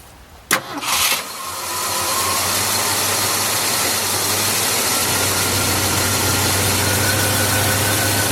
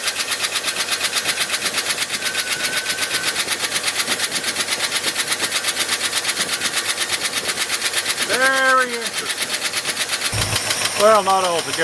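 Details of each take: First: 1971 Ford F-250 shop truck, earlier noise suspected stuck lifter: cranks briefly, catches at once, smooth even idle with no ticking or knocking; normal start, owner suspects sticky ignition switch. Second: 1971 Ford F-250 V8 shop truck, noise toward front of engine unchanged with the alternator and water pump belt removed: steady quick ticking about three per second over an even idle; almost certainly a stuck valve lifter, later ticking briefly then smoothing out, timing chain also considered.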